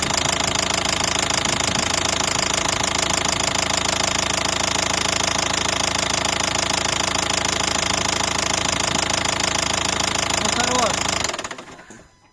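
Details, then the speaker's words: 2012 Nissan Qashqai 1.5 diesel at idle with a knock that began suddenly on a morning start, injectors and return flow tested fine: a hard metallic knock about three times a second. "Решили как наименьшее зол значит решили снять поддон снять поддон посмотреть может действительно где-то провернуло какой-то вкладыш на шатунах и из-за этого раздается этот какой-то звон такой стук"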